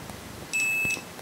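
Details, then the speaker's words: Lidl multimeter for about 10 €, continuity test after it auto-switched off and was turned back on, probes shorted: nothing at first, then a steady high beep of about half a second; beeps only if probes are held together, delayed response. "dann dauert das, wenn ich das so mache, mit dem anderen kommt gar kein Thron, wenn ich zusammenlasse erst dann pbst es. Man muss Geduld haben."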